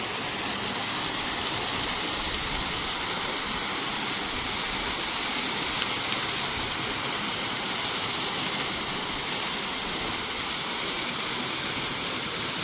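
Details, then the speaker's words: Ecozen 5 HP solar water pump just installed, motor started from the mobile app with the controller button off; steady even rush of water with a hiss from the pipe outlet, no surging or knocking: strong normal discharge. "मित्रांनो मोबाईलवरती चालू केली आता आणि कंट्रोलरचं button बंद आहे आणि मोबाईलवरती मोटर चालू झालेली."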